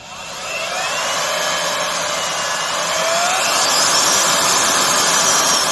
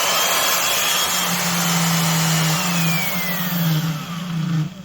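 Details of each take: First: Craftsman (Skil-built) 12 A router, 1440 W, variable speed, after a motor bearing pretension fix: high steady motor whine easing slightly as handled, no rumbling; normal running. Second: Craftsman (Skil-built) 12 A 1440 W variable-speed router, model 320.27683: steady buzzing hum with a rough, rattly edge fading as the motor spins down; bearings worn by vibration because there are no spring washers pretensioning them.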